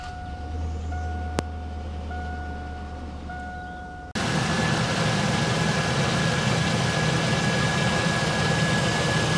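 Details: GMC Sierra 1500, 290,000 miles, first start after replacing the rear main seal and transmission input shaft seal and refilling transmission fluid: warning chime, then a steady, even idle with no knocks or misses, checked for leaks. Normal idle.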